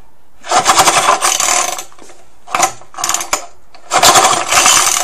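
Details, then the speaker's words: Old Suffolk engine before restoration, choke closed and primed, recoil starter just repaired: three jerky, rattling cord pulls, engine never catches; recoil starter drags and grates, repair not brilliant. "can hear me repair to the recoil starter's not brilliant."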